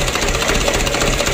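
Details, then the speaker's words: Mitsubishi Canter truck diesel just rebuilt after a repeat overhaul, valve clearance set to 0.40, first start after bleeding fuel: loud, quick, even clatter with a steady rhythm, no misses or heavy knocks; healthy idle. "alhamdulillah lancar berminyak ya untuk awal hidupnya seperti ini misalnya goyang"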